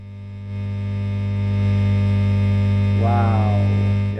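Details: Fender Blues Deluxe amp in for a standby switch: loud, dead-steady low mains hum that never changes with playing, worse after briefly cutting out; filter capacitors checked and ruled out, so it is a ground loop.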